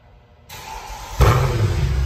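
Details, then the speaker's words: Mercedes-Benz C 63 AMG, M156 naturally aspirated V8 (P31 package, 487 cv), original exhaust, post-purchase service: starter test 10.4 normal; brief starter whir, engine catches cleanly into deep strong burble. Normal start. "Opa! Escapamento original, hein, pessoal? Teste de arranque 10.4. Normal."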